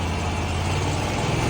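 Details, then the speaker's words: Scag Cheetah 61-inch mower after drive belt and bad pulley replacement, driven slowly: even engine drone with steady low rumble, earlier grinding now gone; running clean. "I can hear the grinding and stuff and now it just you don't hear it anymore."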